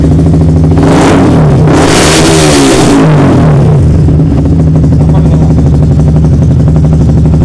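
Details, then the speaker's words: Yamaha R15 with MIL code 46, charging over-voltage up to 18 V and battery at 12.6 V, regulator suspected: loud, steady idle with one brief rise in revs that falls straight back; the engine cannot be revved. "Kita nyalakan Pak ya. Motor pun tidak bisa digas Pak."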